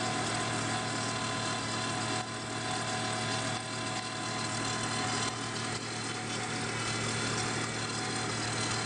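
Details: Volvo 850 just after cold start, louder the colder the ambient temperature: steady whirring hum with a thin constant whine, no knocking; failing water pump, later replaced.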